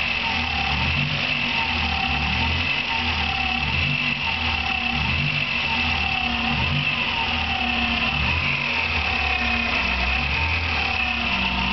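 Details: Engine running with a steady high bird-like chirp warbling slightly with revs, two years and louder; unchanged after new alternator bearing, timing belt tensioner, and with alternator belt removed; owner suspects water pump, source not found.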